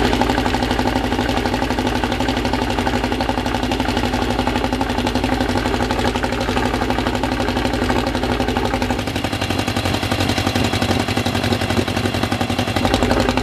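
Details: Freshly assembled 2054 engine on its first start after nearly a year of building, carbureted. A steady, even fast idle around 1200 rpm with a light gear whir; the idle is kept high for break-in and may be lowered later. Normal.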